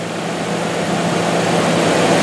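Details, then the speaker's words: 1996 Lincoln Town Car with 145,775 miles and no check-engine light: a steady, even hum with no misses, knocks or ticks. Normal, healthy idle. "And again, everything works. I mean, it sounds good."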